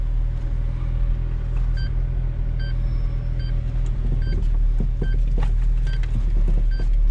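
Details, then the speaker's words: Renault Megane 2 1.5 dCi, engine running, steering turned: sharp, irregular clunks with some chimes. The owner blamed the strut top mounts, but replacing them didn't stop the clunk; the real cause came from later diagnosis. "et crack as tu entendu c'est merveilleux craquements ce sont les coupelles d'amortisseur"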